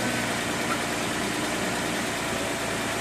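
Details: 2009 Dodge Charger idling after oil pump replacement and timing fix: steady even idle, smooth low hum, no ticking or knocking; oil pressure gauge reads 40 rising to 50 psi, previously 0, healthy running.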